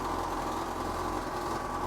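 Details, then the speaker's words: Bentley T V8 idling with exhaust fumes ducted outside, fabulous oil pressure, over half a tank of fuel that is years old; steady, even idle with a soft low burble, no knocks, misses or hunting, no leaks underneath — normal idle. "Fabulous oil pressure. You look over here, there's your temperature. And look at that, over half a tank, not a petrol of gasoline from years ago. And listen to how sweet it sounds."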